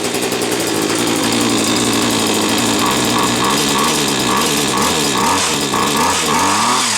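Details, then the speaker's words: Hedge trimmer two-stroke, a bit smoky, now running after the switch was found left off: high, raspy buzz running steadily with small throttle blips, no stalling or misfiring; normal running. "Well, this I know it works now. I don't know why it weren't working before, but it appears to be working now."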